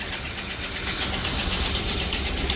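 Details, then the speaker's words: 2000 Lincoln Town Car 4.6 L V8, low on fuel: steady idle with a quick, even ticking knock over a hissy exhaust; owner suspects a fuel knock and possibly the catalytic converters, cause not confirmed. "now you can hear it definitely got a fuel knock or something like that of some sort so there's gonna be some playing with it"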